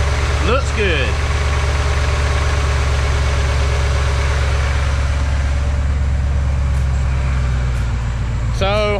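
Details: 1999 Ford F-150 XLT 5.4L V8 after new serpentine belt install: smooth even low idle rumble with no chirp or squeal from the belt drive; belt intact, engine healthy.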